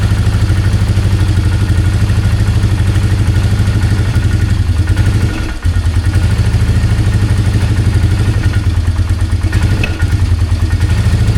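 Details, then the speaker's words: 2003 Polaris Magnum 330 4x4 ATV after fuel pump replacement, restarted to test gear selector: single cylinder thumps at steady low idle, briefly stumbling but never climbing in speed; won't rev up, may need fine adjusting. "It's weird. It's not wanting to rev"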